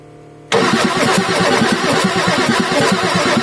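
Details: Ford F350 6.9L IDI diesel after injection pump replacement: starter kicks in, then lumpy, uneven chuffing as the diesel tries to catch during extended cranking while bleeding air from the fuel lines; starter then rested to cool.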